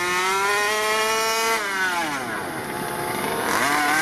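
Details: Rovan Q-Baja Shorty 1/5 RC car, 29cc two-stroke, first run-in tank, stock untouched tuning, near end of the tank: high, buzzy note climbs and drops cleanly with the throttle, no stumble or bog; runs healthy.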